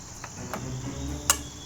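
One crisp single click stands out over a quiet background with faint insects; the ignition box is powering up as expected.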